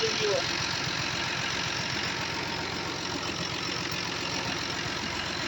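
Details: Tractor diesel engine after dead batteries and a battery isolator switch that stopped disconnecting: steady, even idle with a quick regular beat, no knocks or misses, running cleanly after starting.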